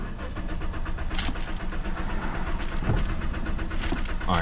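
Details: 2010 Toyota Corolla: the starter cranks steadily at about four pulses a second but the engine never catches; crank-no-start traced by spark and fuel tests, and a fuel pressure gauge test, to a defective fuel pump.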